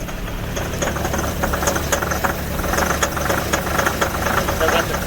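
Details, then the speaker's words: Fendt 720 tractor diesel cold start at about minus 25 °C after a couple of hours plugged in: it just catches and idles unevenly with irregular knocking, running rough, as the hydraulics try to engage. "held in it doesn't like that but it started so i'll give it credit no oh it's trying to kick in it's trying to kick in the hydraulics"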